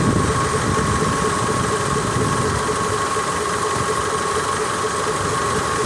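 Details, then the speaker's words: 2003 Mitsubishi Lancer, engine running: steady high belt squeal whenever AC compressor kicks on; owner suspects bearing or failing compressor, before compressor replacement. "every time it kicks on as you can hear the uh belt start squeaking really good so it's either the bearing there or the compressor's going bad"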